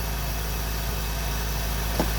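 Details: Integra classic car idling after replacing the ignition coil, which showed a hot-spot blotch: steady, even low idle with no misses, stumbles or ticks; running smoothly and healthy again.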